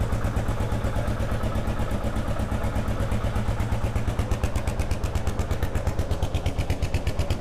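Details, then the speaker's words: 2001 Kawasaki KLR650 first start after sitting about 4 years, with new battery, spark plug and cleaned carburetor, warming up: steady single-cylinder idle thump with faint light squeak on each beat, typical for a KLR; normal idle. "We'll let it warm up a little bit. Sounds okay. Sounds like a KLR. It's got that little squeak."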